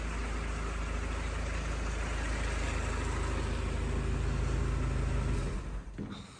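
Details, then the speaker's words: 1942 Ford GPW Jeep after exhaust leak repair, started up at idle: smooth, even low idle with steady beat, no exhaust leaks, misses or stumbles before it dies away; running healthy. "I don't hear any uh any exhaust leaks so that's a plus before it was pretty uh pretty atrocious she sounds good and healthy don't hear any miss or anything like that I call that pretty good"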